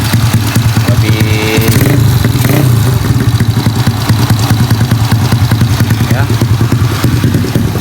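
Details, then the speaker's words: Honda Beat carburetted scooter with 130cc spec, after replacing the piston and camshaft because a broken piston ring made a harsh knock at high RPM: even single-cylinder beat revving smoothly with no harsh knock; road test still to come. "Ya, suaranya sekarang di RPM tinggi enggak bunyi kasar lagi karena permasalahannya dari seharnya yang ya semplak itu ya yang bagian ringnya."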